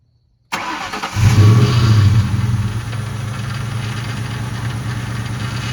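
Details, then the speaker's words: Ford Mustang GT after bleeding a power steering air bubble and bypassing the heater core: the engine cranks, catches and settles into an even low idle with no whine or groan. The power steering pump noise is basically gone after the repair. "and so now you'll see when I started up the noise is basically gone"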